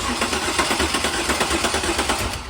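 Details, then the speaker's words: 2000 Chevrolet Camaro after a long trailer trip home, cranked with a remote starter trigger since no crank signal reaches it from the key: even starter chug, about five or six beats a second, turning freely but not catching yet. "so it's cranking with a trigger now see what happens when we Power It Up"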